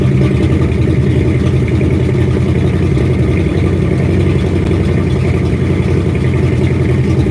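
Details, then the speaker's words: 1967 Ford F250 crewcab after tank cleaning, new fuel hose and filter, with the filter now staying full: loud, steady low rumble at an even beat without surging or dying. Normal idle. "Alright, so it seems like it's going to idle fine now."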